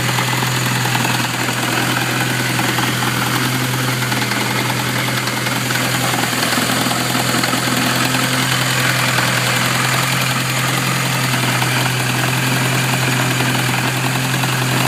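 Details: Supercharged classic Mini petrol engine idling and revved; loud uneven knock over busy mechanical clatter, persisting with revs; owner suspects supercharger bearing, unconfirmed.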